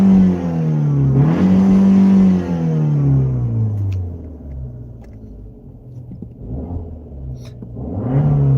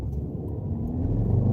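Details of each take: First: Dodge Dart petrol engine revved freely in neutral after misfiring in gears, rising and falling cleanly with no stumble or miss; spark plugs suspected; smooth free revving in neutral. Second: Dodge Dart pulling away under load in second and third gear with a rough, stumbling misfire and the check engine light blinking, after a makeshift spark plug fix; bad misfires point to a bigger problem than just the plugs.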